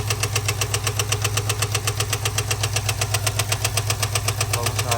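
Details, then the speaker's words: 2022 Ford F-250 7.3L V8 at idle: sharp, very regular ticking knock about two and a half per second. Teardown found a stuck hydraulic lifter with a loose rocker, a broken lifter roller and a damaged camshaft; lifter and camshaft knock. "Ford F250 2022. Tenemos problema de ruido en el motor."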